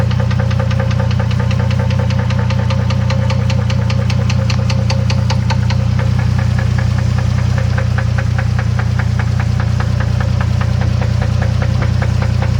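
Steady idle with a sharp, even knock about three times a second riding over the engine; a knocking noise, source not yet pinned down.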